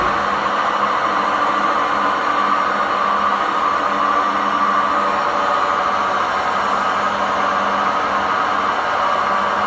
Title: Time to upgrade;This old model making noise when spinning,poor suspensions,worn-out bearings